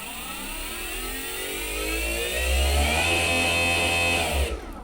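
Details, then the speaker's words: Vevor go-kart electric motor and controller, bench test with a throttle pedal giving proportional control from the slowest speed upward. An even whine climbs smoothly in pitch, accelerating linearly with the pedal, then cuts away: normal smooth motor acceleration. "then it, as you see there, it sort of accelerates nice and linearly with the pedal."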